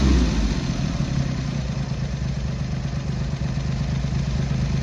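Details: Triumph Hurricane X75 triple with rebuilt carbs, pilot screws richened slightly and left-hand carb adjustment corrected, not fully warm: settles from a blip into fairly even tick-over with light valve clatter, a touch lumpy; normal idle.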